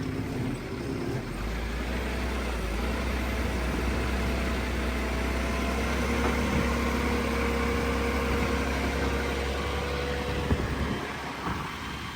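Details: 7 Series 7FKU40 8,000 lb diesel forklift after rebuild of a seized engine that sat about 2 years, being revved: steady diesel clatter with low even drone lifting smoothly as throttle opens, no misses; normal running.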